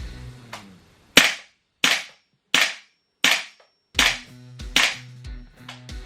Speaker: not kicking as strong, let's say, as might as you might expect. It's more like softer because of these um buffer springs.